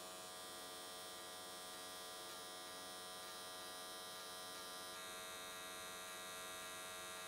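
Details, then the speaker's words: S13 catch can AC TIG weld, 95 Hz square wave with settings changed to smooth things out: steady, even buzzing hum, no sputtering or popping. Normal, clean arc. "i think 95 hertz on square wave was a pretty good choice um went the whole way around in that in that one session"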